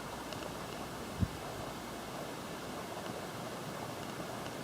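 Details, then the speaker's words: Fairly new Friedrich HVAC unit in a Marriott hotel room, on low in constant fan mode: a soft, even rush of air with a faint steady hum and no rattles or scraping. Pretty quiet with good airflow, normal fan operation. "and as you can see when you put it on a constant speed it acts as a constant fan function this unit is pretty quiet and it blows a good amount of air"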